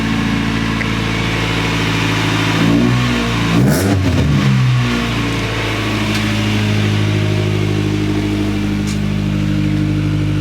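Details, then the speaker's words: EK Honda Civic started at idle with blips; a dull uneven knock sits under the idle and is much worse at high RPM. The vibrating noise appeared while driving; cause unknown. "It's kind of hard to hear on idle, but in high RPM she's got a pretty nasty knock."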